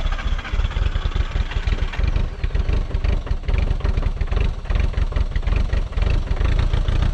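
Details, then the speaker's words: VW T3 diesel bus at over 4000 m in the Peruvian Andes, cold: an uneven, lumpy, surging diesel beat with no steady rhythm. Air drawn into the fuel line through a leaking T-piece underneath. "Wir ziehen über die Leitung immer noch Luftblasen, aber jetzt habe ich den Fehler gefunden. Unterhalb ist ein Teestück und das ist undicht."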